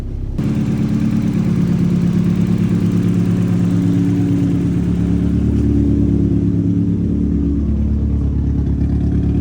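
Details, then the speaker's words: Exhaust leak on a newly built 3-inch oval exhaust: deep steady engine drone rising under a quick rev with a faint ticking puff near the front; leak felt by hand, to be fixed; something also loose. "Yeah, I can feel it. So we'll have to fix that. Per usual, it sounds like kind of a truck up here, but once that gets fixed, then we should be able to hear it all the way through and through, but it's not bad."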